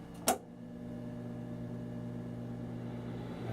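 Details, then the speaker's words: Old Magnus Jewel electric organ after power switch replacement, reassembled: switch click, then the blower motor spins up to a steady low hum of even pitch, no scraping or rattle; normal blower running. "There's the motor spinning up, and here we go."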